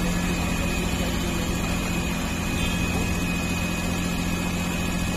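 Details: CNG car (engine cut out when switched over to petrol) after fitting and repair: steady, even engine hum at idle with no miss, stumble or knock; idling smoothly.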